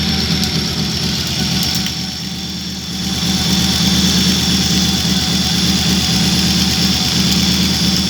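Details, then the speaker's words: 1986 Audi 100 C3 2.0 L at idle, cap and plug wires already replaced, rotor and contacts cleaned, earlier lifter tick: uneven lumpy idle stumbling about three times a second, misfire likely cylinder four, knock when revving, cause unknown. "Начал ничего не с того движок троить. А когда газуешь, появился стук в нем. Такой типа как пальцы или что-то такое."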